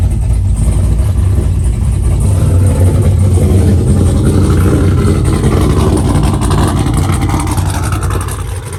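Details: 2002 Pontiac WS6, 500hp, freshly tuned, cold start at 8 a.m.; deep, lumpy V8 rumble settling to an even idle with no knocks or rattles; normal cold start and idle, dry belt squeak noted.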